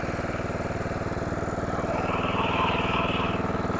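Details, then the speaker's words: Simplicity rear-engine lawnmower revived after sitting 32 years: small single-cylinder engine at a steady, even idle of about four beats a second, no knocks or misses. Normal idle, a working unit. "I do believe that we got a working unit here."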